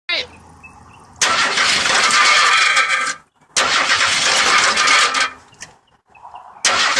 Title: Screeching noise in 83 F100 I6